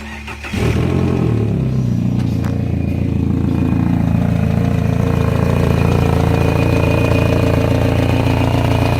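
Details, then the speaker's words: 2000 Kia Sephia, just reassembled after timing belt replacement and test run a few times: quick start into a rough idle with fast, uneven ticking and puffing, lifter tick plus an exhaust leak at the front. "I've already test run this thing a couple of times and aside from an exhaust leak up on the front the moment of truth"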